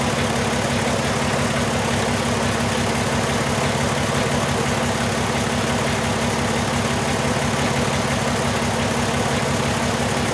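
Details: 2002 VW Jetta VR6 running after injector replacement, still shaking: rough, lumpy idle with a regular stumble about every second; cylinder 1 misfire, P0201 injector circuit fault, 3.5 V bias confirmed, replacement injector open/faulty.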